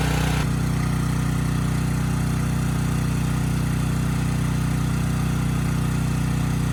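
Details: Briggs & Stratton Storm Responder generator (model 030430-00, engine 21T212-0116-G1), previously stuck at TDC with fuel-flooded oil, final test after repair: steady even drone, no knocks, misses or hunting; speed raised to 61.5 Hz, loaded to 3000 W and holding 60 Hz.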